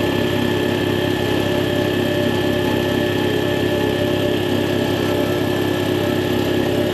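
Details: Air compressor after replacing the faulty check valve that caused air leaking from the unloader: steady, even pumping thump at a constant pace with no hiss or leak between strokes; running normally.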